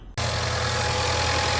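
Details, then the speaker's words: Car started after replacing a bad starter that only clicked: engine catches instantly after a short silence and settles into an even, steady idle with no starter grinding. "New starter's on. Car is started."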